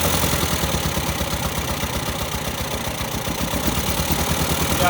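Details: 1973 MGB barn find, sitting since 1980 on old gas: loud, uneven four-cylinder roar at wide open throttle with a ragged, stumbling beat. It is running rich and flooding; the owner suspects sticking carburettor floats, and the carbs are to be rebuilt.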